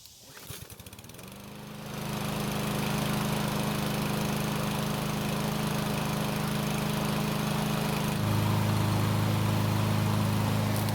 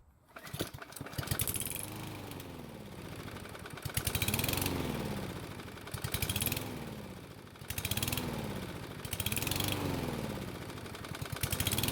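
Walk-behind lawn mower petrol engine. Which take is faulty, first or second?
second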